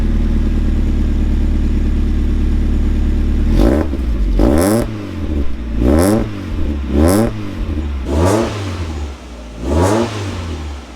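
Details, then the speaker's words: Mk1 Mazda MX-5 Miata with new custom 2.5-inch stainless Profusion catback, no center resonator, smaller back box: deep even idle then clean throttle blips rising and falling, slight rasp on top; deep and pretty good, engine healthy. "Just a little bit of rasp. Other than that, it's deep and pretty good."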